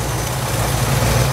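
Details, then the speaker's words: 1976 Ford Bronco original survivor, 302 V8. A deep, even low rumble with a steady beat and no misses or knocks: a smooth, healthy normal idle. "well let's start it up and I'll let you hear it it's a pretty smooth running 302"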